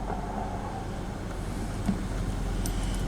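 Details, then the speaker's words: 1995 BMW 525i petrol engine after repair: steady, smooth idle at normal rpm with quick throttle response; stalling and idle surge were fixed by replacing a cracked air intake hose at the air flow sensor and cleaning the idle air valve and throttle butterfly; check-engine light still on. "so replace the intake valve hose, and as soon as I step on the gas, it revs fast. Okay, so that was the problem."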